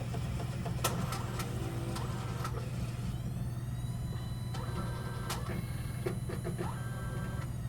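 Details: Eco Auto Smart machine after the stage 3 pad was swapped for a new one and a little water was added to dilute the solution; usually shows code E390 and stops. Irregular sharp clanks, about two a second, over a low motor hum.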